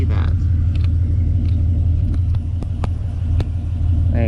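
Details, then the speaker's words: Engine at idle after all new spark plugs and reinstalled wires on both banks: a deep, lumpy, uneven idle with stumbles, and the monitor still shows intermittent misfires in cylinders 3 and 4, no longer isolated to one bank. "you can see I'm still getting misfires in cylinder 3 and cylinder 4. So, not isolated to one bank anymore."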